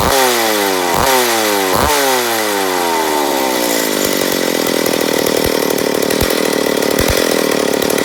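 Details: McCulloch Pro Mac 850 chainsaw, first start after rebuild: blips up high a few times, drops in pitch, settles into a buzzy uneven idle; rough running, owner suspects an air leak on the flywheel side.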